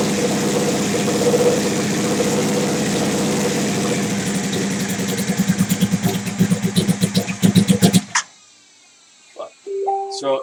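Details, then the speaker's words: Big-turbo Suzuki TL1000R V-twin with 560cc injectors and Power Commander, during idle tuning: uneven idle breaking into choppy, sputtering bursts on throttle blips, about four a second, before shutting off; owner says it is running leaner. "running leaner it is running leaner"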